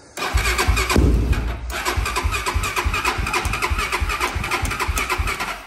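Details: Honda TRX400EX ATV bought as-is after carb cleaning (crusty dried fuel in accelerator pump), weak floppy battery: catches on choke, runs rough and uneven a few seconds, then fades and dies; cause unclear.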